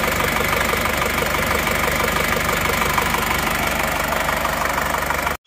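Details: Isuzu Panther L1740 diesel, warmed up, after rough-noise repair: even, steady idle clatter with no knocks or misses; injection pump judged normal, rough noise traced to worn pistons (replaced).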